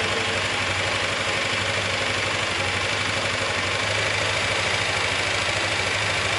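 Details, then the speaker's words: Motorcycle idling with a busy metallic clatter about two beats a second after earlier knocking was fixed; remaining noise is not from the metal (bearing) area. "Jadi seperti yang teman-teman dengar tadi, setelah ngerjain beberapa lama untuk motornya, ternyata masih ada bunyi berisik dan itu bukan dari metal."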